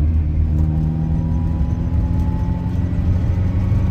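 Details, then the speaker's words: 1967 Austin Mini Cooper S, first drive after eight years stored, about 45 mph, warming up, oil pressure good: engine pulls smoothly with an even low drone and rising tone, no stutter or popping; valves cleaning up, running well. "I can tell that the vals are getting cleaned up the engine starting to run really well now"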